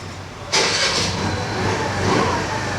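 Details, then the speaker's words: TVS Jupiter BS6 2020 scooter that would not start after sitting three days and stalled at idle when throttle released, after repair with check-engine light cleared: starter catches, fires cleanly, settles into steady idle without stumbling; normal start and idle. "So బండి హైడ్లింగ్ లో కూడా run అవుతుంది. ఇదిగోండి ఇప్పుడైతే బాగుందన్నమాట ఏ problem లేదు బండిలో"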